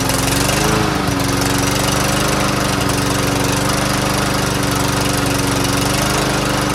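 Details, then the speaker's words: Troy-Bilt TB110 push mower that wouldn't start, after cleaning the carburetor and drilling it out, with good gas and clear fuel line: single-cylinder engine settles into a steady even drone, no missing or surging; runs cleanly after repair. "there's gas now in it let's just fire it up and see if it works what do you guys think it'll work I think it'll work"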